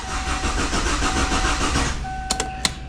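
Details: 2002 Kia Sportage that sat rained in, new battery. Steady rhythmic cranking for about two seconds with no firing, then chime: cranks but won't start. Fuel pump not heard priming; owner suspects cam or crank sensor.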